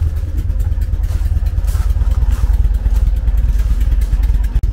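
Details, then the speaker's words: 1974 VW Beetle four-cylinder on Weber IDF carburettors with a blocked idle jet: lumpy, uneven idle with stumbling pulse and missing beats, engine rocking off balance on three cylinders; pulling lead on number three made no difference, pointing to that cylinder. "four engines get very unhappy when they're not idling on four cylinders you can see it kind of rocking back and forth they just get on balance"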